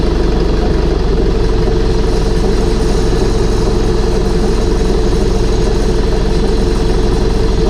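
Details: Air-cooled Deutz diesel idling after reassembly with new fuel pump, new head gaskets, heads torqued, intake and exhaust refitted; owner unsure a fitting leak is fixed, possible cracked housing. Loud, steady clatter at two beats a second under constant fan roar; healthy idle.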